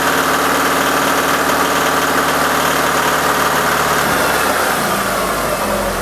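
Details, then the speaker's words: Alfa Romeo 166 2.0 TS idling after reassembly following oil pan removal: a light, rapid ticking knock in time with the engine persists; the noise is certainly from inside the engine and a teardown is planned. "но звук идёт с мотора это 100% так что дальше нас ждёт вскрытие"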